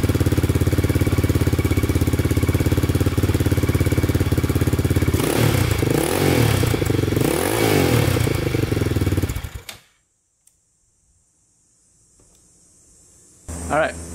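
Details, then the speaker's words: 2002 Yamaha Raptor 660 quad after timing chain and bent-valve replacement. It fired right up once a portable charger was used. Steady single-cylinder idle picks up cleanly on throttle blips, then shuts off. Running great, with a small oil leak noted. "you guys saw i barely even touched the start button that fired right up so it's running great"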